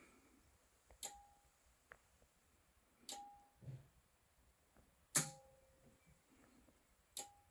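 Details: Anker Solix C1000 power station, firmware v1.5.4, in UPS mode on AC with routers plugged in; sharp single clicks with a faint ring about every two seconds as the charging relay cycles; owner suspects charge start/stop near full SOC; occurs at other SOC too.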